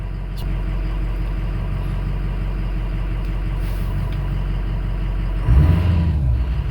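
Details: Ford 6.0 Powerstroke diesel truck after injector and fuel pump replacement and clearing codes: steady, even idle with deep low rumble, no knocks or misses; runs smoothly, no check engine light reset.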